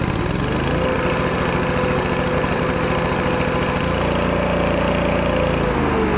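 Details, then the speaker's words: Miller Bobcat 225NT welder/generator, older Kohler engine, after idle control module replaced: low idle now engages but speed hunts up and down every second or so; owner suspects a carburetor issue. "the only problem I see at this point is that there is a carb issue it's not quite idling properly if you heard it it was up and down a lot"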